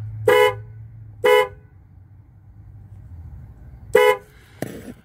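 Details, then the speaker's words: 2001 Ford Windstar during remote-start alarm install: grounding the orange/red-stripe negative horn wire with a test light gives three clean, strong horn blasts and a brief chirp; the horn works normally. "you take your test light right here, and when you tap that wire right there, the horn should blow because it's a negative."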